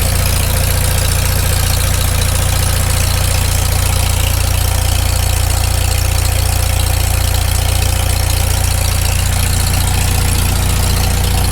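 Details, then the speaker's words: Farmall Super M tractor cold idle right after first start following full rebuild, initial carb settings, muffler warming: steady, even low idle with regular beat; no knock heard, idles down not too bad. "it doesn't idle down too bad given just it's the initial carb settings i can't hear any knock"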